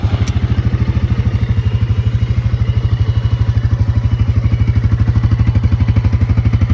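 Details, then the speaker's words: New Can-Am Outlander 700 XMR ATV, under four hours of use; even low thumping idle with a light intake rush on top, steady and regular. Owner notes it always makes a little intake noise; normal idle. "always makes a little bit of intake noise but I'll see if you can hear that noise on video I was talking about"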